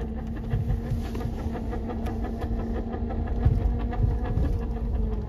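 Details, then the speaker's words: NV4500 manual transmission in 1st and 2nd gear under load: low growling rumble with steady whine; removed unit shows excessive input shaft movement from worn bearing, input gear missing a tooth, and a wonky shift collar. "this is what the input shaft is doing you can see how much Movement we have throughout the whole damned assembly and the input shaft is missing a tooth right there the bastard"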